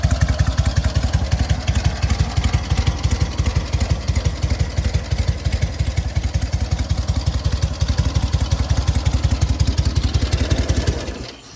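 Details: Sokół 1000 motorcycle after a full rebuild (patina exterior, 12V generator fitted), only briefly prewarmed. An even, steady low thumping beat for ten seconds before shutoff; the freshly rebuilt engine runs cleanly, normal running.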